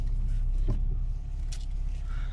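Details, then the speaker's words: Audi 80 after reassembling front struts to cure a creak when steering (mainly left, driver side springs): engine idling while steering, no creaks, only faint power steering pump whine. "Я уже попробовал все тишина никаких скрипов все отлично"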